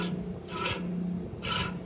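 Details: 1970 Dodge Monaco, roughly year-old alternator under warranty, spun by hand: dry, gritty rasp of worn bearings; alternator also sits crooked, unloading belts and making the A/C clutch grind and slip.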